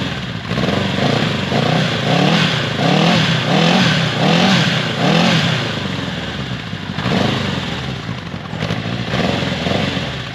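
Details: Honda CB750, first start after 20+ years off road, freshly cleaned carbs synchronized by eye, new battery, float needle replaced: four-cylinder fires first try but idles lumpy and wandering; carbs need more tuning, maybe idle screw turned up.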